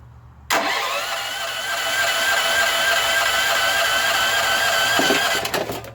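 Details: Auction generator long stored, spark confirmed, compression untested: steady starter whir for about five seconds, engine turning evenly with no firing; cranks but won't start.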